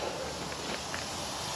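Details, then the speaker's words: Mercedes SK truck with air pressure built up: a steady, unbroken hiss with no pulsing. Compressed air is escaping through a pinhole in an air pipe underneath, damaged by hot debris during welding; the pipe was replaced. "you probably hear it already but I've developed an air leak down in here right down in the b"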